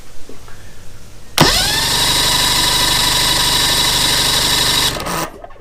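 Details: Mercury outboard with no spark, battery about 12.46 V: starter spins up fast and cranks steadily about four seconds without firing while rectifier charging voltage is checked.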